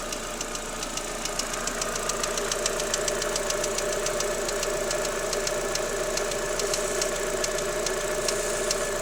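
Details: Daewoo Lanos 1.6 16V at idle: light, sharp ticking knock about two per second that disappears when the timing belt and rollers are wetted with water; gone after replacing timing belt and rollers, though removed parts looked fine.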